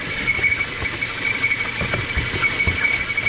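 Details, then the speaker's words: Citroën C4 hatch engine at idle: constant high whistle, slight misfire and incorrect manifold pressure; faulty valve cover (tampa de válvula), new original cover bought. "barulho muito chato a pessoa termina tocando várias coisas e não detecta o problema"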